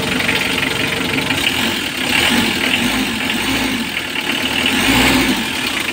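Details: 2015 Mitsubishi L300 diesel after fixing its morning hard starting by tightening the loose black wire at the glow plug heater module, charging at 14 V: an even idle with a light clatter and a slight rise and fall in speed. It sounds healthy.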